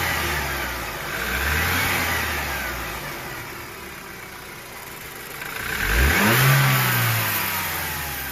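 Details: 2013 BMW F30 320i M Sport xDrive, 2.0L N20 turbo petrol, before turbo replacement: a thin whistling whine climbs over the rev pulls as the engine rises and falls, pointing to a seized, failing turbocharger.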